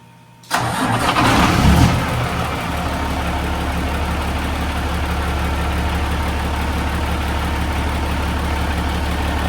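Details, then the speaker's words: Peterbilt truck diesel started after fitting a new $35 part for a wiring issue; catches and settles into a steady, deep idle that sounds a little low; cause unclear. "Sensor or not. It does sound like it's running a little low."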